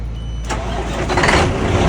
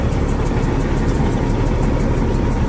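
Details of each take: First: Kenworth W900 diesel truck, morning start after turbo failure and new turbo fitted the night before: short crank, catches at once and settles into an even strong idle, no knocks or misses; clean start. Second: Kenworth W900 diesel first start after roadside turbo and air-to-air swap: loud, lumpy, uneven idle that smooths out as it warms; rough running diesel just after start.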